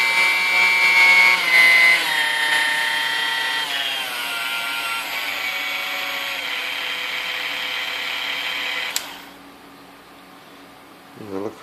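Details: New-in-box Dormeyer 4300 Silver Chef mixer that gave a wisp of smoke on first use, before service: high whine holds steady then spins down after switch-off; no smoke seen, condition unconfirmed.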